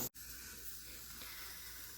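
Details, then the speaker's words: Pressure canning 16 jars of potatoes after the pressure has dropped and the canner has been opened: a short knock, then a steady high hiss and fizz as a jar is lifted. The jars are still boiling inside and need about ten more minutes of rest. "can probably hear the hissing and fizzing I went to grab one of the jars and pull it out of the canner and it started hissing like don't do it again"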